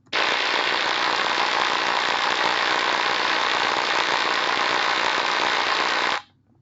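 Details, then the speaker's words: Ultrasound recording at an industrial blower's drive-end bearing during monthly monitoring: harsh dense crackling rasp with rough throb once per shaft revolution, from an inner race defect entering the load zone. "So ultrasound was used to monitor the machine bearings monthly and during a recent inspection uh the inspector noticed an unusual sound generated from the blower drive end bearing."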